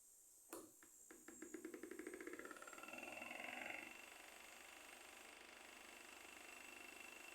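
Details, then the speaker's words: Electric fan rattling with quick sharp clicks about four times a second from the rear, then steady hum; blades sometimes turn, sometimes don't, owner suspects a part in the oscillation mechanism: oscillation gearbox knocking. "Ele liga, ele e fica um barulho muito feio aqui, né? Aquele barulho muitas vezes no silêncio da noite, aquele barulho toca daquela zoada feia, né?"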